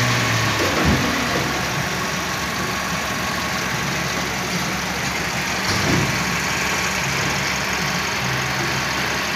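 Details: Toyota Calya/Daihatsu Sigra at idle: steady, even idle with smooth low rumble and no knocks or ticks; engine sounds healthy.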